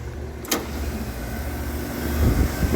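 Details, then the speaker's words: Walk-in cooler split system, three-phase compressor after checking windings (4.8–4.9 ohms) and capacitor, following a failed 40-amp contactor: low steady hum with no chatter or buzzing; compressor running normally. "what do you know? Can you hear that? That's the compressor humming."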